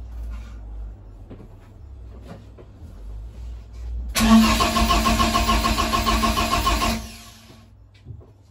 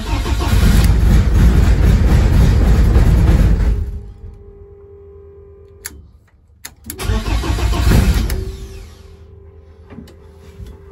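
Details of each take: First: BMW E30 rally project: starter spins engine steadily about three seconds with no firing; no-start caused by swapped crank position and throttle position sensor connectors, making ECU read 100% throttle. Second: BMW E30 rally project: engine cranks, catches and revs, drops to an even idle, then restarts cleanly and settles; normal start and idle.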